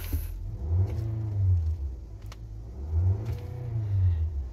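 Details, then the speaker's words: 2023 Nissan X-Trail that cranked but would not start, after replacing the fuel pump under the seat (the grounded pump kept blowing its fuse). Engine starts, idles low and steady, picks up smoothly in two clean blips; normal running. "So start. So may start na siya. So okay na."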